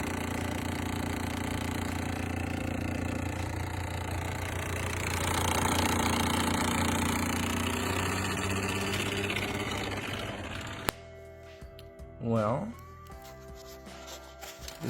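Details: Vehicle at idle, customer says it sounds like a typewriter under the hood: steady idle with fast, light ticking about three to four per second; likely a vacuum leak at the throttle body gasket, which seems shot.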